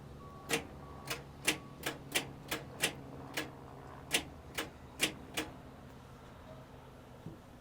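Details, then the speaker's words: Retired 1979 fire truck, two-stroke Detroit diesel, long sitting: starter solenoid jumped with a button, both batteries connected; sharp single clicks, about eleven in five seconds, no real cranking, turning over slow; starter solenoid sticking. "She doesn't want to do anything for us right now. We got both batteries hooked up. Still, she's just turning over slow."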